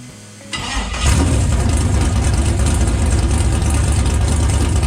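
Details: Stock 6.0L LS V8 with 243 heads, carburetor and new BTR Stage 5 drag cam, restarted after cam install: cranks briefly, catches and settles into a deep, lumpy, choppy big-cam idle; normal start-up, some oil smoke off headers, small fuel leak.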